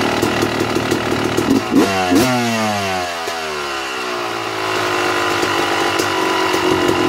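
Two-stroke idles fast and keeps hanging high as the revs sweep around; air screw is out too far, running lean.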